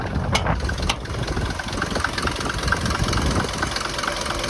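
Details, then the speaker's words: Mercedes T1 310D van, OM602 diesel, after engine removal and top-end rebuild, driven on road: light regular ticks over rough diesel idle; injector tap still present, less smoky than before, exact source unconfirmed. "she made it here and obviously she still got the injector tap"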